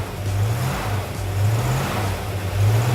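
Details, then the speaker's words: GM Goodwrench small-block crate V8 in an El Camino at first start-up, with timing at about 20–22° and oil pressure confirmed. There are no leaks. The fast idle is a deep, even rumble without clatter: normal. "Sounds good. Not clattering. I know we have oil pressure."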